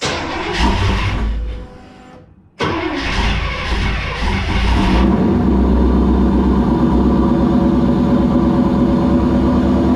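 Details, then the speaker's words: Rambler V8 with Holley Sniper EFI after 3 years: cranks, fires, dies, restarts with shrill squeal over first seconds then steady idle; belt slipping on painted pulley; heavy voltage drop while cranking. "Alright, so I have a pulley that's very loud. I apologize for that. It doesn't like my painted pulley in belt."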